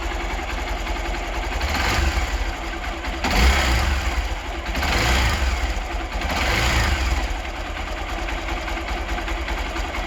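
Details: Hero Xpulse 200 engine after final valve clearance adjustment (intake 0.06 mm, exhaust 0.102 mm): steady thumping idle with throttle swells, only faint light ticking, valvetrain noise much reduced; normal running.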